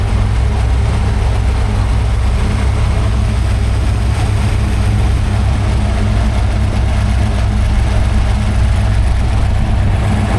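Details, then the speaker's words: Freshly built 347 stroker small-block Ford, carbureted, on a run stand at first start-up, timing being set around 14 degrees, aluminum flywheel, carb still cold: deep, even V8 burble at idle, no ticks or stumbles; smooth, healthy. "There is like zero engine noise. Yeah. What? pretty smooth, too."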